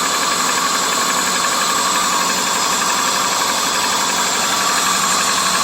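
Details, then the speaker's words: 2001 Subaru Legacy, cold, running rough and overheating after a water pump and upper hose replacement: uneven idle with irregular thumps and rattling over a constant hiss, engine shaky; head gasket failure is being diagnosed. "I'm gonna show you what's going on. I see she's a little shaky."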